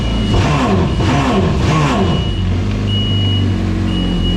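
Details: Replacement engine running in a 2018 Yamaha VXR personal watercraft, fitted because the old motor had rod knock; smooth, even idle with a steady low drone and brief throttle blips, no knocking.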